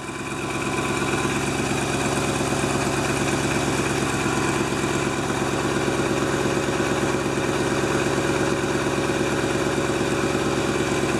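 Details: 1997 GMC Suburban engine at a smooth, even idle with a steady low hum and no misses, knocks or ticks after fuel filter and spark plug replacement; restarted after a few cranks with empty fuel lines, no leaks, running healthy.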